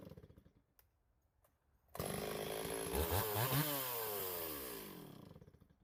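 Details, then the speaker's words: Stihl 026 chainsaw, owner reports a pop or miss at high revs when hot or cutting hard: the saw revs up, then pitch wavers and stutters under load; a wire grounding out or a failing coil is suspected. "So I'm sure you guys heard that. We'll go inside and diagnose. This could be any number of things. It sounded electrical to me, so that's kind of what I would start with."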